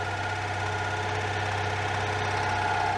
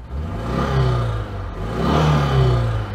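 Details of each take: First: 1992 Oltcit that refused to run, after carburettor work and cleaning the solenoid contacts: engine catches and settles into a steady, low, even idle with no knocks or misses; a healthy start. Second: 1992 Oltcit (Romanian Citroen-design) overhead-cam engine warming up after carburettor work, revved to dry exhaust condensate; swells through two revs with a light clatter, less smooth; camshaft issue suspected, not confirmed.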